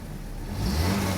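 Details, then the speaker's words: 1986 Saab 900 8-valve K-Jet after swapping in other injectors: revs pick up cleanly and evenly, no stumble or misfire, running very smoothly; one injector had been plugged, not opening until high pressure. "Oh my god. It's running so smoothly. One of those injectors wasn't opening until high enough pressure."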